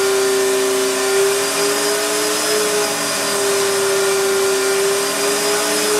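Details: Astro Vac central vacuum power unit (Lindsey Manufacturing) running in the garage, motor bearings reported bad at last service but still going. Loud steady motor roar with a wavering high tone on top.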